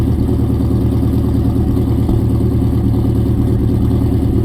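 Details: 2003 4.6L 2V V8 at startup idle, low steady rumble with a light, somewhat uneven clacking/ticking noise.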